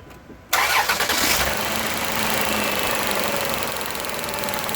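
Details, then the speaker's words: 2005 Chrysler Town & Country with a cylinder-specific misfire code: engine catches into a slightly uneven, lumpy idle with a faint stumble and visible shaking, plus a squeaky exhaust. Spark tested good at the coil; the plug looked worn but not enough for a constant misfire. "I'm not sure how well the shakiness shows up on the video, but it definitely has a misfire. One thing you do notice on the video is the squeakiness of the exhaust."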